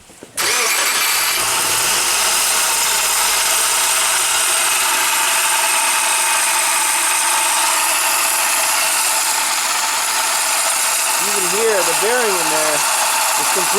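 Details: 2009 Subaru Forester with a burning smell and loss of power, molten material visible at the A/C compressor clutch: the engine catches, then a loud raspy grinding roar over idle with a later warbling squeal; the A/C clutch bearing has seized and failed.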